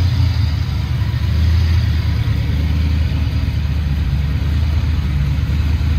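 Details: Foxbody Mustang 302 V8 with B303 cam, T5, 3.73 gears, just started after sitting since about 2021 with fresh battery and gas; deep, even rumble holding steady idle, no misses, knocks or ticks, normal idle.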